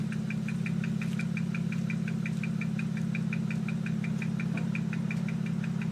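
A steady low idle hum with sharp ticks about three per second and an uneven pulse underneath; the engine sounds like it is misfiring.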